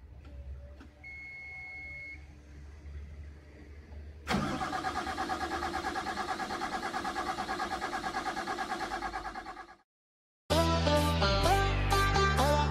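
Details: CAT 320D excavator diesel cranks with steady starter churning about three beats a second for several seconds without catching, then stops; long crank, hard start.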